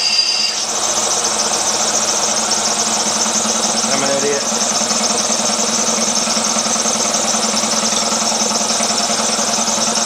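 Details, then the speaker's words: Older Craftsman air compressor, model 919.174311, after check valve replacement (previously never held air more than several hours): steady even pumping chatter with constant hiss, no knocks or squeals; building pressure normally, fixed. "lots of interesting sound I guess that's the check valve and moving through one seemed really Cano"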